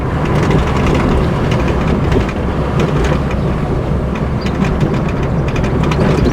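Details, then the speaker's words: 2003 Mini Cooper while driving: loose, irregular clatter and knocks over steady road rumble, sharper on bumps; suspension rattling, front or rear unclear, possibly both. "what are we hearing I can't decide if that's front or a rear suspension making rattling noises"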